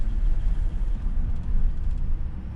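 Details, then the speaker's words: Infiniti, drive-by-cable, just started on a new battery after owner-replaced gaskets: low uneven rumble sags and stalls within seconds as the idle won't hold; vacuum leak, found with a smoke machine. "yeah, I don't know if I'm gonna be able to get up there quickly enough. That dies fast."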